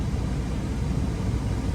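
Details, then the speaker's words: 03–08 Dodge Ram 1500 5.7 Hemi converted from clutch fan to electric fan, switch-on point being dialed in: steady, even rush of air over low engine hum, no rattle, wobble or scraping; temperature dropping from about 208 toward 203–206. Normal cooling fan operation. "This is how much air this fan moves, dude. So, just running that little bit, the temperature will start to drop."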